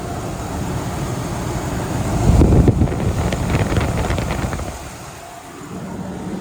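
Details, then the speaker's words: Ford F150 at idle right after a water pump replacement and coolant refill: smooth, even low rumble with slight wind on the mic, no ticks or knocks; no leaks seen. "All right, so she's running. Doesn't look like there's any leaks anywhere."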